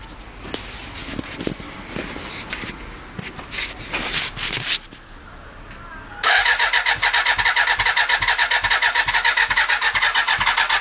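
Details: Suzuki Bandit 400 after starter motor replacement: quiet fiddling, then a fast, even starter whirr about two turns a second that never catches; cranks but won't start.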